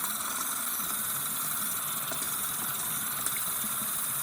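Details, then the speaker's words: Hot water tap opened after replacing the house water expansion tank (set to about 90): steady airy hiss with a faint pop as trapped air purges from the line before the water turns hot. "So this is all the noises that you hear. Air coming out of hot water. Of course not hot yet."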